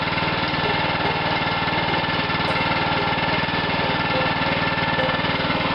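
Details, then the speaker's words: Lawn mower left sitting in a yard: steady, fast single-cylinder chatter at even speed with no misses or knocks; normal running. "Called my neighbor, let him hear that thing run."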